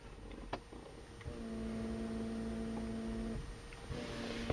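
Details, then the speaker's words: 1995 Mercedes-Benz W202 C280, ignition on: climate-control vacuum pump hums about two seconds between switch clicks, cycling when OFF or RECIRC is pressed, from a leaking fresh-air/recirculation flap vacuum element, later replaced. "And in this position, it probably has a leak, and that's why my pump is cycling."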